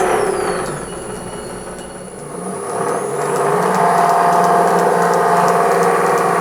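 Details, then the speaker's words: Restored pre-1907 Hardinge Cataract lathe test run: steady whirring with a fast regular rattle from excessive clearance in the roller's sleeve bearings; ball bearings to be fitted. "that noise drives me nuts there's a clearance in these sleeve bearings in the roller an excessive clearance"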